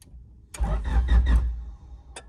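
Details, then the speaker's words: Honda Civic EG hatch, push-button start, slow crank before starter, ground and terminal replacement: a few slow, labored cranking pulses then dies without catching; starter dragging, cause not confirmed. "I've noticed that the Civic has been taking a little extra long to start sometimes"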